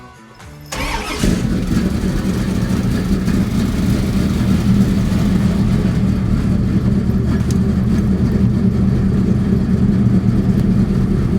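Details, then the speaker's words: 1969 Chevy C10 with new Blueprint 396 V8, Holley fuel injection and Tremec TKX 5-speed; brief crank, clean catch, strong steady rumble without knocks or misses, sounding much healthier than before. "Sounds good. I haven't even really heard it from the outside. Oh, it sounds much better than it did A little before."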